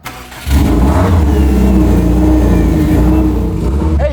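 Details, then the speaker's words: Turbo-upgraded car after reconnecting crank position sensor: fires up into a loud, deep steady run with open downpipe rasp, no exhaust installed yet, no leaks or ticking; not yet tuned. "Hey, she runs. Sounds pretty good. That's just downpipe."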